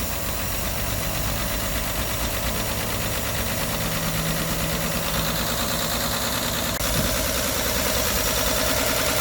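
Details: 1964 Olson Kurbside stepvan, Ford 223 inline-six, first start after sitting 29 years, fresh fuel, choke held: steady, slightly ragged even idle with a faint high whistle, running on all cylinders.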